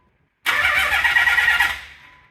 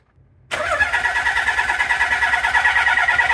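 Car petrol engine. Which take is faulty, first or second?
second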